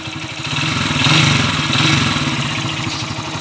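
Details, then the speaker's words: Honda TMX155 single idling with loose uneven knocking clatter over exhaust beat; mechanic diagnoses badly worn connecting rod, with an original connecting rod, two bearings and a timing gear bought for the repair. "connecting rod na to boss kay yan oh Malala na yung connecting rod niya"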